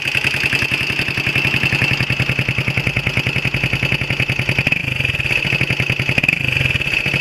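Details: Honda XL125R single-cylinder at idle: rapid, fairly even clatter about three or four per second with a sharp metallic ring on top; abnormal engine noise, cause unclear.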